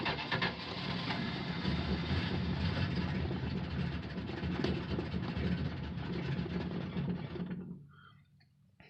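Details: 1968 Plymouth Fury III, original 318 two-barrel V8, almost 76,000 miles, cold start: long uneven churning crank about eight seconds without catching cleanly, then drops away; hard cold start, owner blames poor two-barrel carb, not confirmed.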